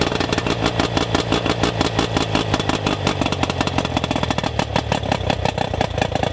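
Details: Rough-running outboard during ignition diagnosis, before power pack replacement: fast uneven popping with irregular clattery beats and stumbling rhythm; ignition misfire, power pack then replaced.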